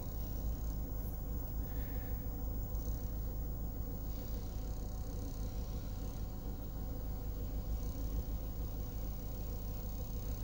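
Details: US-market Ford Escape after fixing a sudden no-start (ECU relay clicking, blown ECU fuse, ground wire traced), fault codes being cleared; low, steady idle with an even pulse, no misses, knocks or hunting, normal.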